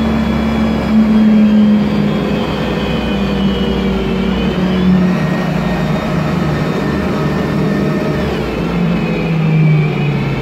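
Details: MAN bus with MAN E2876 LUH03 EEV CNG engine and Voith DIWA 864.3 4-speed automatic gearbox: steady drone with whining tones climbing and shifting as the bus pulls away, a noisy automatic transmission whining under acceleration.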